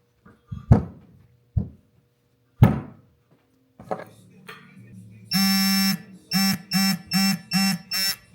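A few ratchet clicks, then a long beep and five short repeated beeps as the wrench reaches its set torque.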